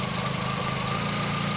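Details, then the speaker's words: 2004 VW Jetta 2.0 with a cylinder 3 misfire (P0303), after a known-good coil was swapped onto cylinder 3: a steady, even idle hum with a faint high whine and no stumble; normal idle with no misfires on the scan tool. "that's running really good i'm going to move you over to the laptop to make sure there's no misfires"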